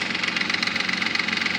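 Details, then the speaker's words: Nissan Maxima 3.5 with excessive lifter noise, worse at first start: quick, light, even ticking over steady idle with tinny top end; ticking at idle, owner suspects lifters, front or back bank unclear. "lift your noise it's pretty loud I can't really tell if it's coming from the front of the back so we'll see what happens"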